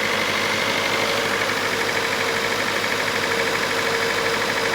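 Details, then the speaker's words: Datsun 510 twin SU carburettors after fixing a leak that poured fuel onto the hot exhaust, started on a jump pack. It settles into a smooth, steady idle with a constant rhythm and no stumbles or misfires. Normal idle. "Sounds good. Sounds very, very good."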